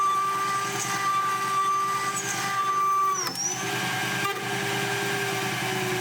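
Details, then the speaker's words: Shariff DMC2 CNC pushed to its limit with a 4mm end mill cutting flat material: steady cutting whine abruptly breaks off and shifts pitch as the overloaded tool snaps mid-cut. "4mm tools are generally my go-to for cutting parts out of flat material, and of course if you push them too hard they do break"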